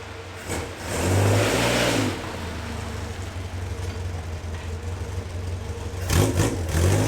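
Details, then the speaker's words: 27-year-old Caterham Super Seven 1600GT Sprint, 1.6 L, with the silencer removed from the stock muffler: deep, raw, blatty exhaust note swelling with each throttle blip, far too loud. The muffler's wool packing is burnt; repacking is planned. "In case you're wondering, it's a stock muffler, but the wool inside is burnt, so it's very noisy."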